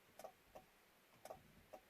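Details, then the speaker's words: 1995 Chevrolet Blazer 4x4 with 4x4 not engaging, in neutral with key in accessory; sharp light clicks from the dash, one per button press, in a quiet cab. The selector switch end is working normally. "I'm going to be quiet so you can hear what's going on. You can hear that click of the dash here."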